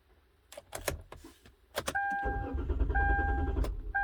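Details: 2012 Kia Rondo, key fob replacement case lacking the original transponder, tried without it near the lock: door chime, then starter cranks evenly about three turns a second without firing; crank no start, immobilizer not reading key transponder.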